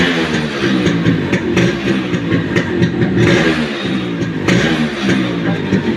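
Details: Yamaha RX 100 two-stroke, old model, with a starting problem and lost original sound, before a full rebuild: rough, uneven running with irregular clattering pops over the exhaust; cylinder, piston and reed valve to be opened, cause unconfirmed.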